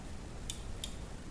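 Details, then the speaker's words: Kossel delta 3D printer effector probe test: pushing the probe up slightly and gently releasing gives two crisp, sharp clicks about a third of a second apart, showing the probe switch triggers cleanly. A missing double click points to intermittent probing problems. "you can hear it clicking so to test yours if you're having intermittent problems where your probing and it goes oh yeah it worked then it doesn't and it may dig in and all these sort of problems just slightly push the probe up and just gently Let It"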